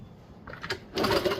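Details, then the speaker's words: 1977 Honda CT70 that sat for 20 years, freshly charged battery installed, kicked over with a plug grounded: crisp snapping ticks from a strong, healthy spark. "Yep. Nice spark. I don't know if you can see it or not. Oh, you can hear it. Nice."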